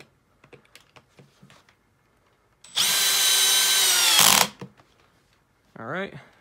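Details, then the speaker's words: Makita XPH07 brushless cordless hammer drill driving a screw with the clutch set to 21. High whine for about 1.5 s, then it cuts off sharply as the clutch slips at the set torque; normal clutch action. "clutch worked and stopped it at the right torque"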